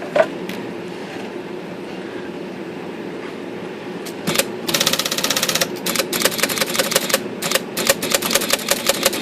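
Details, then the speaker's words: IBM Selectric II with rotary backspace, after adjusting the backspace that was stalling: quick bursts of sharp clicks as the carriage steps back repeatedly and powers right through; normal backspace operation. "a lot of difference I'm holding it now and it's powering right through"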